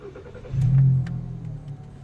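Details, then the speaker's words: VW tuned car switched to 91-octane mode for a smog test: engine catches, flares up, then settles into a steady, slightly high idle with even low hum; stock mode idles much lower. "see now you can tell because the higher rpm that's one of the tests that you know that it's on 91 octane because on stock mode this thing is much lower like the idol sets much lower"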